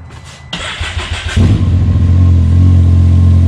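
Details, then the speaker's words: XRS after EVO Stage 4 install (big injectors, tune, wastegate actuator, cat delete, fuel crack pressure 11 psi); brief crank, fires right up, slightly uneven drone while air remains in fuel system. "Like always with EVO stuff, fired right up. It's got a little air in there still."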